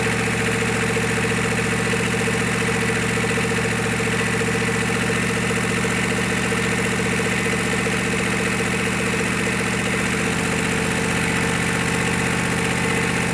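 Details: GEP/Navistar 6.5 diesel, rebuilt (Scat crank, 30 over, moly pistons), Stanadyne DB2831-4911 pump, on a stand shortly after startup on the mechanical lift pump, still warming: steady even idle with light clatter, no knocks or misses; healthy idle.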